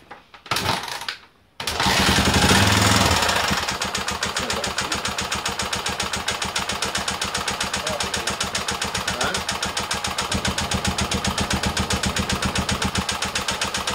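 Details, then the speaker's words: Restored Honda XL250 single-cylinder bike after engine reassembly: it fires up and settles into a fast, sharp rapping of about four beats a second; clear engine knock that the owner blames on his own workmanship, cause unconfirmed. "so we put it together meant started beautifully but you heard the noise and that comes down to my workmanship"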